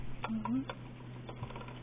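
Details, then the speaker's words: Broken wall outlet with a loose wire in a push-in back connection: sharp, irregular crackling snaps over a low hum from arcing, causing lost power to downstream outlets. "and I hear it arcing in there too so that's what the problem was"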